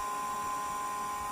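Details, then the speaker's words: Used Hayward AquaVac 500 pool robot, 24-volt supply, switched on at shortest setting: thin steady motor whine for about a second and a half then abrupt cutout; motor spins then shuts off. "So, the motor does spin, but then it shuts off immediately."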